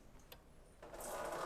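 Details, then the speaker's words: Toyota 1UZ V8 swapped into a Subaru BRZ, key on with jump box before starter solenoid was plugged in: faint tick then steady soft whir and hiss; electric fuel pump priming and working. "I didn't know worky. Fuel pump works still."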